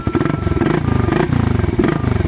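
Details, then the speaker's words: Raider motorcycle with stock exhaust canister, catalytic converter still fitted, before its removal: quiet, even single-cylinder putter swelling briefly on light throttle blips, soft and healthy. "Ganito ang tunog pa kapag may katalitik mga boss. Ayan, tahimik mga boss."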